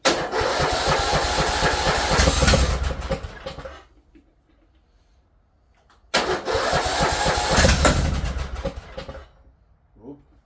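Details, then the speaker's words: Briggs & Stratton 19.5 hp engine on a weathered Craftsman T1600 mower, forced with starting fluid, catches and roars about four seconds then fades and dies, repeatedly; owner suspects bad fuel and a carburetor needing replacement. "contact too much all right no no choke okay definitely bad fuel and the carb carb probably needs to be changed"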